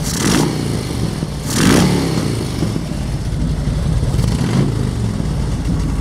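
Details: Warm 1999 Harley-Davidson Road King V-twin on a Chinese clone CV carburetor with a changed main jet and about half a turn on the mixture and idle screws. It settles into a steady, even loping idle and sounds healthy; the loud rattles are the lift, with a fan in the background.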